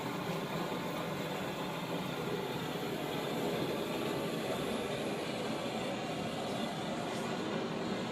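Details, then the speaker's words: 1917 Blackstone 9 hp hand-start hot-bulb engine running on household heating oil: a modern blowlamp heats the bulb vaporizer before starting, giving a steady, even roaring hiss with no sputter or flare-ups. Normal blowlamp preheating. "in the noise you can hear is the blow La heating the B vaporizer and Readiness to start the engine"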